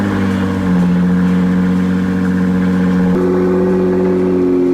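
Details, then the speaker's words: Rebuilt wrecked 2024 Nissan GT-R, smooth strong engine note climbing in steps as throttle opens, clean and crisp with no misses or knocks; normal rev. "dude dude that's a clean sound that sounds really Crisp that's a good GTR sound right there dude"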